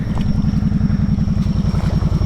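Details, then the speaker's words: Kawasaki Brute Force 750 ATV after a High Lifter 2" lift kit install, while riding: uneven thumping idle with a thin, steady high whistle over it; a new whistle of unknown source, owner wonders if it's the fan. "And yes, that is my four-wheeler making that whistling noise."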